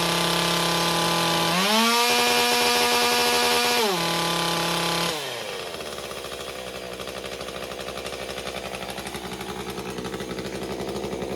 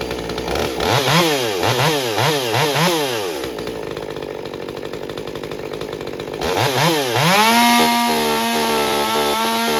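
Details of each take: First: MS201TC two-stroke during performance work, maintenance and carburettor recalibration: the high whine rises and falls, hunting up and down before starting to settle. Engine speed surging during recalibration. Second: Stihl MS201TC chainsaw after performance work, fresh fuel and new fuel filter: quick throttle blips, then revs and holds a clean steady high-speed scream without stumbling; normal running, problem likely fuel filter not picking up fuel.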